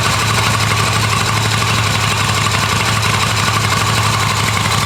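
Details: Restored Yamaha XV250 Virago V-twin, started in neutral on the electric starter, ready for registration: steady, even idle with a smooth low pulse and no knocks or misses; normal, healthy idle.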